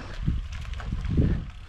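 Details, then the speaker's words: Cube Agree C:62 Race road bike on a climb after re-greasing and torquing the thru-axle to 12 Nm: wind and low road rumble, no clicks under pedaling load. "dokładamy nogi cisza dokładamy No jest cisza"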